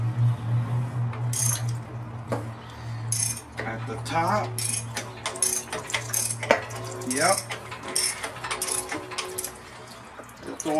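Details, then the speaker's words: Street and quarter-mile engine, built 10 years earlier, torn down to find a noise: crank turned by hand gives loose metallic clunks at the top and bottom of the stroke from the number three connecting rod bearing, which spun and came apart. "That's the one that took a shit. Number three. You can hear it. When it's at the bottom,"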